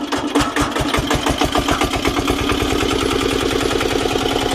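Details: Old Japanese 10 hp single-cylinder diesel welder/110 V generator set driving a 110 V water pump: even, rapid thumping picks up pace then holds steady under load, no knocks or stumbles; normal running under load.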